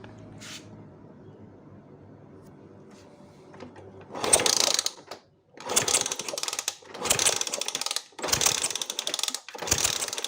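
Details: Honda Sonic motorcycle cranks in five short bursts of mechanical clatter but never starts. There is no spark at the new plug after the owner rewired things; the ignition box-to-coil wiring is checked.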